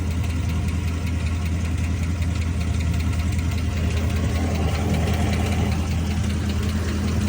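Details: Chrysler 300 SRT8 6.4 L Hemi V8 idling with good oil pressure; deep steady rumble with light ticking about two or three per second, louder on passenger side; owner suspects lifters or exhaust leak; cause unconfirmed.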